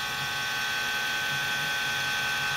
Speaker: an FSP power supply with a failing fan you won't see that every day